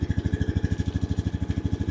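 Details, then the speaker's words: 2013 Honda Rancher 420 ATV after replacing bad starter solenoid that caused no-start: quick even thumping about eleven beats a second with no misses; smooth healthy single-cylinder idle. "starter solenoid was bad"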